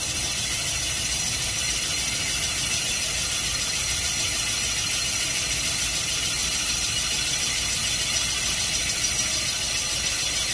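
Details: Mopar 360 small-block cylinder bore on a Comec boring machine, finish pass after straight roughing bore true to crank: steady even high cutting whir, no chatter; smooth finish boring pass.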